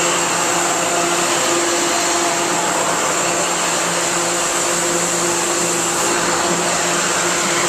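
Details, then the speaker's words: 2011 Thermal Care NQA15 15-ton air-cooled chiller, R410A scroll compressor, at about 2-ton load near 43°F setpoint: constant airy hiss over the unit's hum; normal hot gas bypass operating at low load. "anybody familiar with chillers and hvac will tell you that that hissing is what you want to hear when you get to your uh your low uh low load and hot gas bypass"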